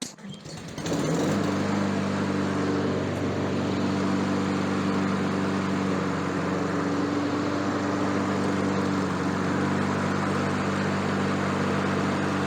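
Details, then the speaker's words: Honda HRN216 mower that had no compression, fixed after a dent in the valve cover found stopping it running: fires within a second into steady even drone, no misses or knocks; normal running. "यह सबसे अच्छा चलने वाला lawn घास काटने वाला हो सकता है जिसे मैंने लंबे समय में देखा है।"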